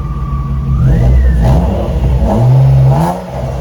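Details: BMW E36, warmed up, test drive: a thin steady whine sits above the engine and climbs in pitch with revs. It has been present for two years and its cause is not identified. Whining noise.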